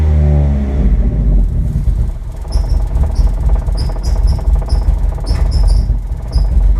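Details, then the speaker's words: Mitsubishi Eclipse 420a on a new Megasquirt wiring build, first start: it runs evenly for a moment, then turns ragged and surging and won't stay running. Rough running and stalling, cause unknown. "not very happy all right well it did run I do not know why it's so angry about something but it ran and you guys got to hear it now I need to figure out why it doesn't stay running"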